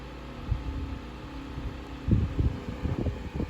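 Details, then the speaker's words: 1950s Electrohome 8-inch single-speed desk fan, shaded-pole 2-pole 120V motor, blade hub previously repaired with epoxy, on a noisy table. Steady low hum with irregular thumps and rattles: vibration, likely from blades out of balance due to the epoxy. "it's running kind of smoothly but there's a little bit of a shake and i think part of that is the blade repair and that's to blame some of that epoxy on the blade hub is probably throwing the blades out of balance just a little bit but enough that it's causing the vibration"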